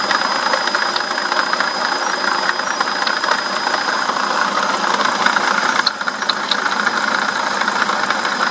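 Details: BMW E65/E66 engine idling with a thin, steady high squeak over the running noise; no coolant leak at the gasket, pulley not ruled out, water pump bearing suspected failing, squeaking for several days.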